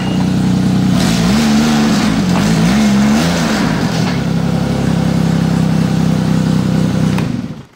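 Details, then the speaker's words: Arctic Cat Bearcat 660 snowmobile after gearbox rebuild for crunching reverse (worn gearbox, impact marks, damaged gear replaced), hood off: engine revs and drops back, then a smooth steady drone in reverse with no crunching or grinding; normal reverse. "операция прошла успешно всё работает без нареканий"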